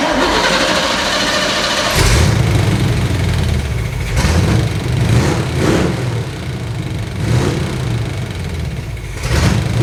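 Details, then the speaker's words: Abandoned Chevrolet C20 truck after timing adjustment by ear: catches after cranking, idles unevenly, speed rising and sagging every second or two; rough idle; the timing light later shows timing okay, so the owner blames the carburetor. "surprisingly the timing it's okay so it's carburetor issue and this thing's just going to sit for a while anyway so it runs good enough to drive it out of the shop"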